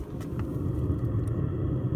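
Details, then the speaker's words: 5kW Chinese diesel heater heating a home, restarted after running on 2 pins to check for excess fuel burn, now fired up on 3 pins with warm air coming out: steady low rumble, even hum, no knocks or surging; normal running. "That's warm air coming out of there. And we'll go inside. Yep. It's on 3 pins and it's working."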